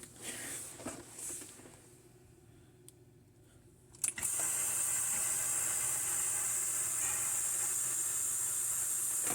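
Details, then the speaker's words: Compressor pulling a vacuum after a vacuum-leak rattle was fixed: after a quiet stretch, a steady high suction hiss starts and holds evenly, fading as vacuum builds. Normal suction hiss. "you'll hear this get less and less as it pulls more of a vacuum can you hear it get louder on there put my finger over it gets quieter on the high pressure side"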